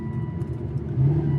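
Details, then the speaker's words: Aston Martin DB9 after V12 engine swap, first drive around the block: deep, smooth rumble swelling evenly as revs climb, no knocks, ticks or rattles; healthy V12 pulling cleanly. "boy that does that sound good"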